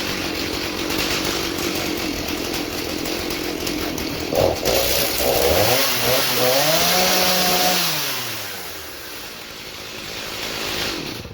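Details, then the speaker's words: 2003 Stihl MS 290 Farm Boss chainsaw, 56.5cc two-stroke, rebuilt from a box of parts after cleaning the clutch and air housing. Buzzy idle climbs cleanly to a high screaming rev, then drops back smoothly to idle; it runs normally. "Hopefully it sputters. Sounds good to me."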